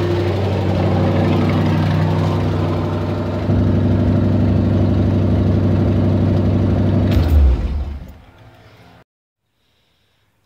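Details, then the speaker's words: 360 (5.9) V8 idling rough and high with an uneven, pulsing lope from a vacuum leak at the PCV valve; the fix uses a tee adapter and new line. "right so um right now I'm working on my vacuum because my car was piling rough and Eiling really high so right now I'm working on my PCV valve right here"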